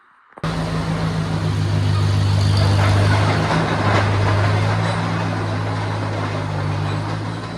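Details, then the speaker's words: Oliver OC3 crawler after rebuild with new engine, new switches and wiring repaired so the alternator charges, before load break-in: starts at once, settles into a firm even low beat of about three and a half pulses a second; smooth, healthy run. "Looking better than it was, running a heck of a lot better than it was."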